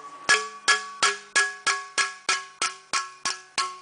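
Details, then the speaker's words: Sheet metal clamped in a shrink fixture, running up the center before it touches the metal: steady hammer blows about three a second, each ringing bright and hollow with a long tail, showing the blows land off the dolly. "You can hear that I'm definitely off dolly at this point. I haven't gotten the center down to touching the metal yet."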